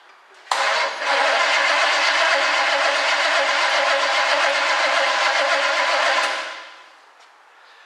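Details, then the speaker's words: 1967 Chevy Camaro project, cranked via remote starter button on starter S wire with key on: engine spins steadily around 160 rpm but never catches; crank no-start, no spark seen at all. "don't see any spark at all. Let me show you what I'm talking about."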